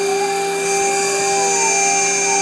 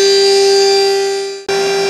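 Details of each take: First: Long end mill chattering while boring the NEMA 17 locating-pin recess in an aluminium heatsink X/Y motor mount, at a slow 150 mm feed with an unfamiliar bit; loud, steady, high-pitched ringing squeal over the spindle noise. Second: Smooth milling cut on an aluminium heatsink motor mount after the chattering bit, possibly unbalanced, was swapped out; this bit cuts perfectly, giving a clean, steady single-pitch spindle tone with no chatter or rattle.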